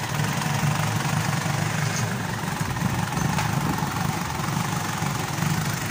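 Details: Mitsubishi Pajero diesel that starts then dies after about a minute: rough uneven idle clatter with wavering beat; weak fuel return shows injection pump not holding pressure, runs only with priming, injector and pump need calibration.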